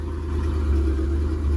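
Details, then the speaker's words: Ford F350 first start after a junkyard transmission swap and new U-joint: steady low idle rumble, even beat, no knocking or grinding, warming up with fluid on the dipstick; normal idle. "Make sure we had some fluids touching the dipstick, which we did. No funky noises. Nothing crazy funky."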